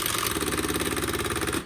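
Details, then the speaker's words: Used typewriter fast-repeat spacebar test, checked when buying: rapid even rattle of single clicks, about twenty a second, carriage stepping space by space rather than jumping like tab; fast-repeat spacing working properly. "그래서 이 소리가 반드시 나야 되고, 한 칸씩 그렇게 쭉 연결해서 가는 것 같지만 결국은 한 칸 한 칸이 모여서 가는 거란 걸 알고, 그 작동이 그런 식으로 작동하는지를 반드시 확인을 하셔야 돼요."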